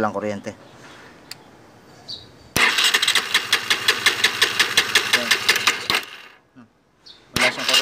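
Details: R-180 motorcycle before repair, hard starting with no electrical power: steady cranking chug about three strokes a second, never catches; no spark from busted pulser coil, also a bad neutral sensor O-ring, both to be replaced.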